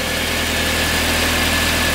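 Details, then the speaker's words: VW Passat B5 restarted with air purged from the fuel system: a steady, even idle with a smooth low hum and no knocks or stumbles; it runs well. "Jetzt läuft er. Der läuft richtig gut. Guck mal, wie der läuft, Digga. Der läuft richtig gut, ja."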